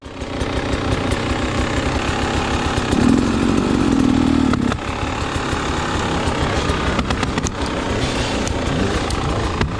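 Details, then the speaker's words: Dirt bike on hard enduro trail, after a stick got stuck in it: engine runs unevenly at idle while a brief buzzing drone rises for a couple of seconds then fades; strange noise, cause unclear. "So I'm on it here for like a minute. And I get this stick stuck. What is that sound?"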